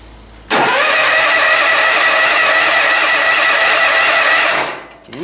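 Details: John Deere zero-turn, cold start in icy weather at full throttle after a spring change: it catches at once, holds a high buzz about four seconds, then drops away; manual choking is considered.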